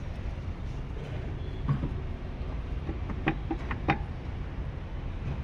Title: porsche Cayman suspension noise problem